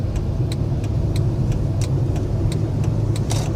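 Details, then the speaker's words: Chrysler 300, 5.7L Hemi, 127,000 miles, warm, on the highway after heads rebuilt for the valve-seat failure: deep, smooth V8 rumble pulling steadily under hard throttle over road noise, no knocking or misfire; normal engine under acceleration. "open her up a little bit sounds good let's punch it yeah she scoots back to normal"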